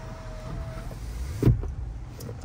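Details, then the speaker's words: 2020 Toyota Land Cruiser 200 Series VX with service history to 47,000 km: a smooth, even electric motor hum as the sunroof travels, ending in a soft clunk as it seats; working normally. "we'll have a look and just make sure everything's working the sunroof and all"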